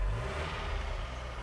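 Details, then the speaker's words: Vauxhall/Opel Corsa C after alternator and clutch master cylinder replacement: brief smooth rev settling back, no whine on top anymore; slight tapping left, attributed to the car needing a service. "so as we said uh the car does need a service uh that's where you're getting some of the like the dapper noise but voila no more whining"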